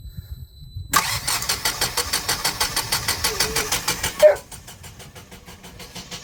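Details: Generac standby generator in 5-10F cold during scheduled exercise: long steady cranking, slowing as the old battery drains, never fires; low fuel pressure alarm traced to a stiffening fuel regulator diaphragm.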